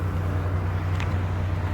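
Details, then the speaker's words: Chevrolet Impala after repairing a no-start with no power to the starter: steady low even idle hum with no misses, knocks or starter noise; fixed, car recognizes everything and runs normally. "car back working um that was my issue car recognized everything again yeah that's it so that that was my fix"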